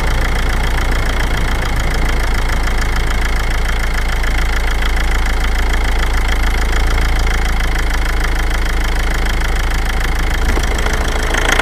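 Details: 2006 Toyota Avensis, 1AD-FTV diesel engine: steady rough knock of about four beats a second when pulling under load at low revs.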